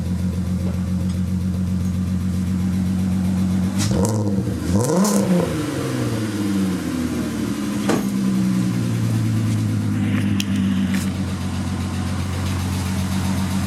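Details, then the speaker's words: Mk4 VR6 Jetta/Golf/GTI after power steering pump replacement and fluid top-up, car up in the air: engine runs steady with rev changes and no groan or whine from the pump; normal operation. "okay so I added fluid and makes no noise feels a lot nicer I mean it's up in the air but so far so good just listen to it run"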